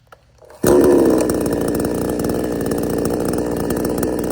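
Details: Cheap Chinese chainsaw restarted after running out of fuel while cutting a stump; it catches easily and settles into a steady, even high-revving buzz with no misses or stumbles, still running strong.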